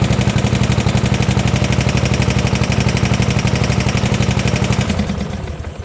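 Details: 1972 Gravely 816 tractor, Kohler Command 18 twin, first run after carb fix: heavy regular knock about four per second over idle until it winds down; rod knock, engine blown up.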